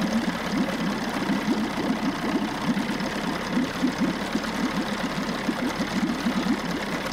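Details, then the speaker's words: 1994 Johnson 6 hp two-stroke outboard bought at auction, idling after the thermostat was pulled and now running much cooler; pumping good water and shifting into forward and reverse. Fast, even putter with a steady popping beat, no misses. Normal idle; thermostat to be replaced. "Pumping good water. It's actually idling really good too."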